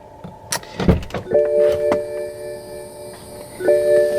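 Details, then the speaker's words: 2011 BMW E90 335i after coolant reservoir tank replacement, bleeding procedure (heat full warm, fan low, pedal held 10 s): steady mid-pitched electric hum of the electric coolant pump running normally, with handling clatter. "pump actually doing its job. Not sure if you can hear it. But it is running right now."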